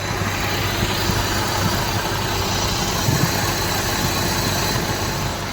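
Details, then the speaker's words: Maruti Suzuki WagonR idling with AC on after radiator fan corrected to spin the right way: smooth even idle, no fan noise or vibration, faint intake hiss; cooling fan healthy. "इसलिए दोस्तों, AC चालू है। है और अब प्रशंसक का वहां शोर हो रहा था। वह भी बन्द। गया।"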